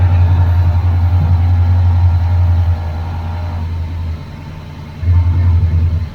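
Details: 1981 Chevrolet Camaro Z28 V8, carburetted, no choke, electric fuel pump disconnected and running on float-bowl fuel: deep even rumble, smooth idle before revs ease off; engine sounds good.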